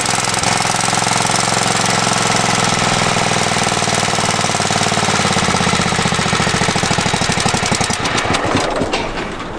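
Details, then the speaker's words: Free Craftsman riding mower, said not to run, started after fitting a new battery. It catches and runs with a loud steady chug, then slows and fades at shutdown. The fault was the battery. "Well, that's awesome because he said it didn't run. Yeah. Sure enough, battery issue."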